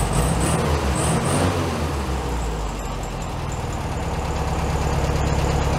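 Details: 1967 VW Beetle 1500cc air-cooled, warm, carburetor reinstalled with a new base gasket: a steady low putter with an even beat, no surging or stumbling, a touch fast but clean. Normal idle, slightly high.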